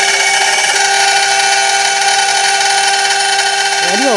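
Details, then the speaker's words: Brutal end mill chatter after a bit change, with long stick-out, while machining an aluminium heatsink X/Y stepper motor mount; piercing, steady high squeal with ringing overtones and unwavering pitch through the whole cut. "well I've had to endure a few hours of the chatter brutal chatter too"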